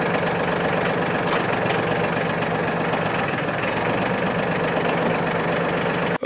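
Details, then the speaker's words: Brand new Mahindra 1526 HST tractor diesel after a DIY top cover leak repair resealed with ThreeBond sealant: even clatter at steady idle with no dipstick chatter (it chattered after the dealer's repair), nice and quiet, normal idle. "all right nice and quiet that's good"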